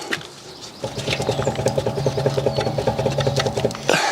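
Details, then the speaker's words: BMW 130i with the rear wheel jacked up and handbrake off, rocked by hand top to bottom: irregular knocks about twice a second from free play. Suspected worn wheel bearing, possibly the lower bush. "It's definite play there. Grabbing it on either side doesn't seem to be much, but grabbing it at the top and the bottom, it's moving back and forth, and there's a audible knock there."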